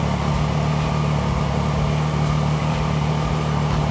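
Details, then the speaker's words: Triumph Daytona 675R that wouldn't start on a new battery (only clicked): smooth, even idle, no knocks, misses or hunting. Charging system reads 14.35 V, fine. Suspected cause: the battery was only on a trickle charger and never fully charged. "fires right up i don't see anything wrong there"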